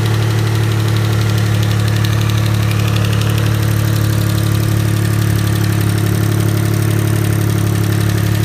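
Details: Mitsubishi GTO MK1 (3000GT) twin-turbo V6 idling steadily with a light, regular lifter tick over the low engine hum, before the lifters were replaced. Hydraulic lifter tick.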